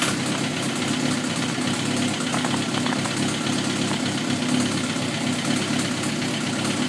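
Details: Suzuki GSXR 1000 at idle, 33,000 miles, no FI code, 175-180 psi compression on all cylinders, negative leakdown; light quick ticking over the hum, more prominent in the head, intermittent; owner suspects valve train.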